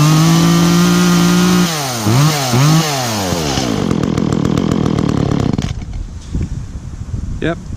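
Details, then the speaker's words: Echo chainsaw, chain worn from maple cutting, last run two or three weeks ago, started on choke after priming with chain brake on: revs up and drops back cleanly, then settles to a steady crisp idle; bar oil spews when revved, normal running and revving. "a good saw and as you can see there when I revved it some bar oil kind of spewed out there which is definitely what you want"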